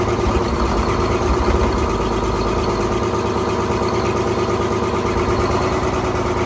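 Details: 1970s Crane Carrier 10-wheel-drive truck, Detroit 6-71 two-stroke diesel, after freeing four stuck injectors: deep, steady drone at even idle with no misfire or knock, running smoothly on its own fuel.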